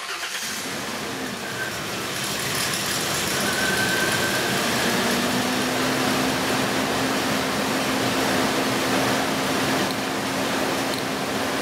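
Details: 2002 Ford Explorer Sport Trac 4.0 L V6, cylinder 6 misfire, plugs and wires changed, restarted after swapping cylinder 5 and 6 wires: faintly uneven stumbling idle under a steady drone, one cylinder still misfiring; cause not yet confirmed.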